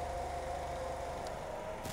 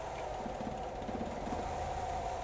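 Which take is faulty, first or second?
second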